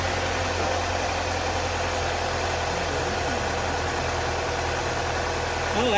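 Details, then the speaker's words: 2002 Pontiac Grand Am SE 2.2 idling right after an oil change: steady, even idle with a smooth low hum, no knocks, ticks or misses, sounding much better than before; engine runs cleanly. "that sounds a lot better than it did. Let that sit and run for a minute."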